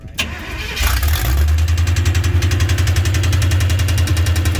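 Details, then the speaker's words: Same demo derby car that is suspected blown up, after one side of the motor is reassembled (a start was tried earlier with the valve cover off and plugs out). Even starter cranking, about 3.5 turns a second, that never catches; it cranks but will not start, though it usually fires right up. "Put that whole side of the motor back together once again. She don't even want to run. Usually she fires right"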